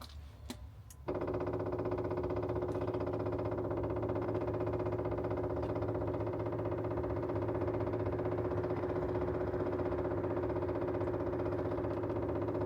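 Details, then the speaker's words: RVMP 5500 onboard generator on a Brinkley 3950 RV, being primed after switching from LPG to the onboard gas tanks: rapid, even ticking of about three beats a second that changes note. Fuel pump priming noise. "I just heard the fuel pump make a different noise. We must be getting close."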